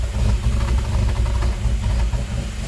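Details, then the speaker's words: GM 3800 V6 with NIC cam in an F23-swapped Grand Am GT, first start after new coils and ICM: deep, heavy idle with uneven choppy lope, no knocks or rattles; healthy big-cam idle. "That cam chop just sounds so good."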